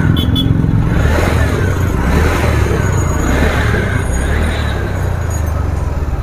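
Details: TVS Ntorq 125 BS6 125cc scooter after tightening the adjuster to fix an rpm problem: a low, steady putter holds an even idle without hunting or stalling; settled, healthy idle.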